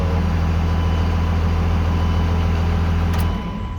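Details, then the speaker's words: 2001 Dodge Ram 5.9L Cummins 24-valve diesel with VP44 injection pump, checked for crank-no-start: steady, even diesel clatter with firm low rumble, no misses or knocks; owner has started and driven it repeatedly with no issues. Normal diesel idle. "i've started this thing up several times i've driven it and all that stuff and we don't have any issues going on"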